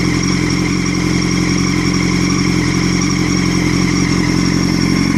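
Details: 2006 Honda CBR1000RR running: thin constant whine over mechanical clatter that gets louder with revs; bike felt held back, is hard to shift and hard to move in gear even with the clutch held, but rolls freely in neutral.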